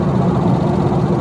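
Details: Dodge Viper 8-liter V10 after years of hard use: deep steady rumble with a faint quick ticking that worsened on a 400-mile drive; suspected passenger-side top end, lifters or loose cylinder sleeves considered, unconfirmed.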